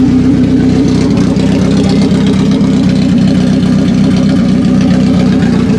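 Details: 1991 BMW 318i E30 long out of use; low, lumpy, stumbling idle with no steady beat; ran smoother with the MAF sensor unplugged and stalled when plugged back in, so MAF judged faulty.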